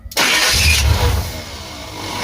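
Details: Truck sat over a year, old battery boosted, carb pumped: short burst of cranking catches roughly, then sags and fades without settling; the carb needs new needles and floats.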